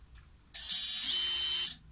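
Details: Brushless FPV quad motor (motor number three), spun up to check it before its 684ZZ 9x4x4 bearings are replaced. A thin, high-pitched steady whine with a slight rasp from the worn bearing.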